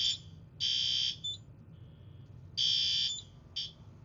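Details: System Sensor i3 smoke detector sprayed with test smoke during a yearly fire alarm system test: shrill high-pitched alarm tones in uneven bursts over a quiet room as the detector trips and the panel holds the alarm.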